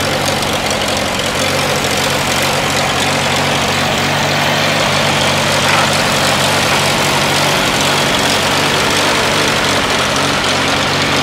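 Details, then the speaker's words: Farmall A tractor, older restoration, fresh battery, holds good oil pressure; small governor issue with no throttle linkage hooked up, just started: steady low putt-putt with an even beat, no knocks or misses; idles healthy. "right now, but it starts off good. Go ahead, John, start it up for us. Got a fresh battery in it."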